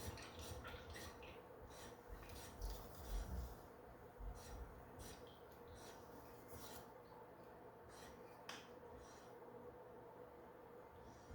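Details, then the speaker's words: Elite Turbo Muin, spinning before opening, bearings already replaced: soft continuous scraping rub under the whir, steady with speed; owner suspects internal rubbing rather than broken bearings, not confirmed. "On dirait qu'on entend plus à l'intérieur un frottement. C'est peut-être pas mes bearings qui sont brisés, mais peut-être juste un frottement."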